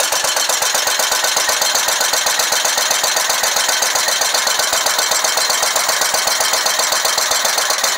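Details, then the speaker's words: Scag Tiger Cat II zero-turn mower with a Kawasaki FX691V, running on one cylinder with a harsh, lopsided popping beat of about four per second. A pushrod fell out of the number two cylinder, the engine is flooding with gas, and the oil is overfilled. "as we pulled the number two cylinder valve cover off and looky there Mr push rod fell out so that's definitely one issue uh that might have a lot to do with it"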